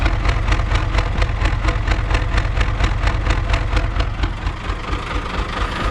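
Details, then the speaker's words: 1975 Chevy stepside pickup with Isuzu 6BB1 5.4L diesel, injection pump and injectors rebuilt and cleaned by owner. Rough, loping idle with an uneven pulse about twice a second, clearer at the exhaust, engine shaking. Owner suspects some injectors not firing right. "So, I don't know if you can hear it on camera, but I can. No one has commented on it on the videos yet, but this thing runs with a lope, and it shakes a lot more than it should."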